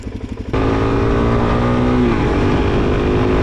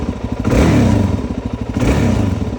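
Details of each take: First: 2001 Suzuki DRZ400S on a test ride, breaking up under load: single-cylinder thumping that coughs and stumbles with a brief power dip, suspected fuel bowl emptying from a dirty carburetor. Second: 2001 Suzuki DRZ400S dual-sport after carburetor cleaning and rebuild: snaps up from a steady thumping idle and returns cleanly, really responsive with no bogging. Normal throttle response.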